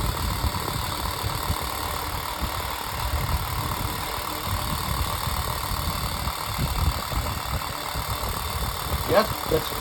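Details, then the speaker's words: Unbranded 7-inch desk fan after being oiled and repaired with electrical tape: steady, even rushing whoosh with low hum, no scraping or ticking; fan runs fast and freely but loud. "Oh, I didn't even I didn't know this was going to run this fast. It's pretty powerful, but it's loud."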